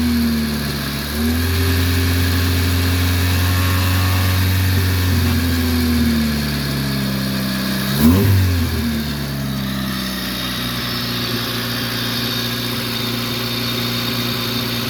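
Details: 1994 Honda Civic DX, first start after fuel pump replacement: idles, revs up and drops back with a raspy, puffing exhaust note from an exhaust leak.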